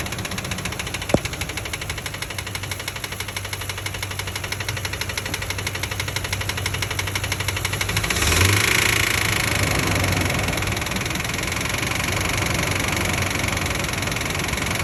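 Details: 2004 Ford Expedition 5.4 Triton V8: hard, sharp knock about four a second at idle, appearing after a spark plug blew out and was fixed; owner suspects rod knock, planning to try Seafoam and Lucas treatment.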